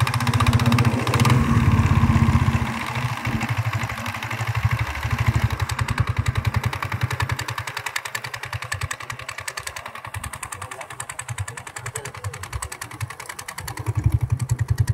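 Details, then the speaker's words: Scooter on long Bangalore–Gutti highway trips, belt snapped mid-highway and replaced; idling with uneven tuk-tuk knocking patter that settles after a blip, from inside variator; mechanic says rollers worn and need changing. "అది ఏం sir roller roller ఇది టక్ sound వస్తుంది కదా ఆ sound పోతదింటే లోపల దీంట్లో ఉంటా లోపల"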